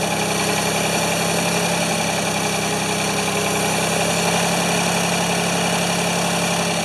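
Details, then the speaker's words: Ford 2600 tractor, smoking as it burns off oil: fast idle with an uneven, stumbling beat; running rough with suspected fuel delivery problems, not feeding enough fuel, while the plug wires keep popping off. "definitely have fuel delivery issues it's just not it's not feeding enough fue"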